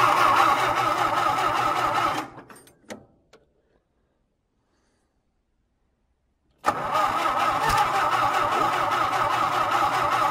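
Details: John Deere, cold winter start: starter churns about four turns a second, pauses, then cranks again with no firing at all. Fuel is dumping out of the carb; the cause is not yet known.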